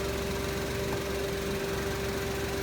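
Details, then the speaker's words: Used car idling with AC switched on, engine dry with no seepage: smooth even idle with a soft steady compressor hum, no knocks, rattles or odd noises; engine and AC compressor normal, AC blowing cold. "Terus kita nyalakan AC, gimana suara mesinnya. Ketika kita nyalakan AC, suaranya masih terlihat, masih terdengar halus. Mesin ini normal,"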